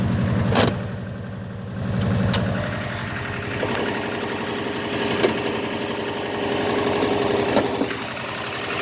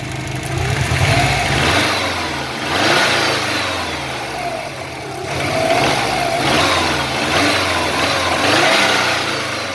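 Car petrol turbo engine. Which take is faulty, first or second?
first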